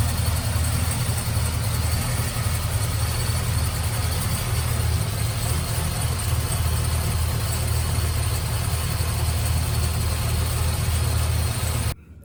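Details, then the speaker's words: Supercharged LSA-blown LS2 V8 in Trailblazer SS, after fitting new quiet-technology serpentine belt to cure idle chirp: steady deep idle, even low rumble, no chirp or squeal; only header, cam, rocker and possibly coil pack noise remain; normal idle. "there you have it engine silence has been restored other than the noise from the headers the camshaft the rockers and possibly the coil pack"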